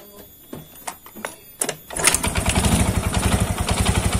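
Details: Yamaha Mio scooter brought in for service with a complaint of clattering noise from the CVT: after clicks and handling it starts and runs with a rough, pulsing chatter from the belt drive area; cause not yet determined.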